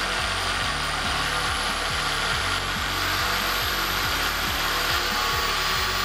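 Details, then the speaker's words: Cheap drill press, previously broken and repaired, used for drilling metal which strains its motor; steady motor hum with regular rough gritty chatter about once a second as gears are not yet greased; gear noise from ungreased gearbox. "Saya belum sempat lagi nak sapu grease dekat dia punya gear ni. Jadi bunyi dia agak kasar sikit."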